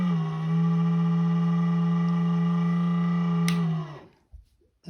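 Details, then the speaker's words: Crane hippo-shaped "quiet" humidifier, about 3 years old, first use after storage: loud steady low buzzy hum for about four seconds then winds down; owner suspects the motor or fan inside. "可以听到这个里边传来很大的噪音，这个本来应该叫做静音加湿器呢，现在传来这么大的噪音，肯定是里边的马达或者是风扇出了问题。"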